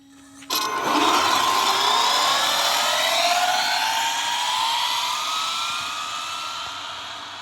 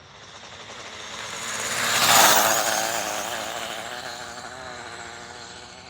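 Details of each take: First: Bandit RC car speed run, Monster X ESC, stacked 2S plus 4S Redline batteries, geared down: clean motor whine climbing steadily in pitch with no stutter or cogging; lower gearing makes low-speed response much smoother, smooth full-throttle run. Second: Dual-motor electric RC car held at full throttle on a speed run, its first drive in a long time. High-pitched scream with a fluttering, uneven rasp as the tires bounce, running super choppy; owner suspects the tires: choppy power under full throttle.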